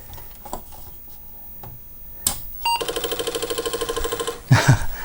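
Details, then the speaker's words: Apple IIe Platinum fitted with a new ReActive Micro Universal PSU Kit after the original supply died: disk drive plugged in and powered on, a click then fast steady head-stepping chatter and spin-up ending in thumps; normal floppy drive startup, Oregon Trail then loads. "Alright, I just plugged in a disk drive. Alright, let's power it on."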